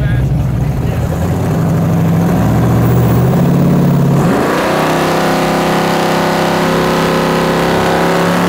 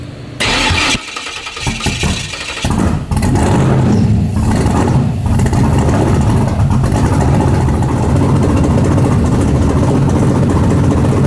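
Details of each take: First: 1970.5 Chevrolet Camaro Z/28 7.50 Index drag car, LS6 V8 on FuelTech FT550 EFI, hub dyno; after about 20° more timing (was popping out the exhaust while cranking), rough loud cranking settles into a steady, even V8 rumble with clean firing pulse; starts and runs properly. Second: 1970.5 Chevrolet Camaro Z/28 drag car, LS6 with FT550 EFI on TPS-based tune, on hub dyno: cranks and stumbles about three seconds with sputtering pops out the exhaust, then catches into an uneven loud idle; ignition timing about 20° off.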